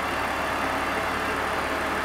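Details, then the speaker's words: BMW E46 3 Series after DISA valve replacement: quiet, even idle with no rattle or flutter from the intake; with the cable removed the flap operates smoothly and quietly. "oops sounds good sounds good I'm going to remove the cable just to see what happens perfect perfect everything's working as it"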